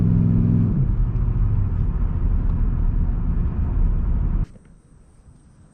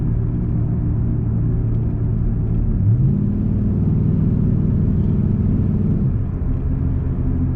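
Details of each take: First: 2002-2005 Dodge Ram 1500, recorded inside the cab on a test drive after replacing worn front wheel hubs: steady low road rumble, no hum or growl rising with speed; front hubs now quiet. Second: 2002-2005 Dodge Ram 1500 recorded in the cab, coasting at road speed before front hub replacement: steady low droning hum holding even with no engine load; worn front wheel hub bearings.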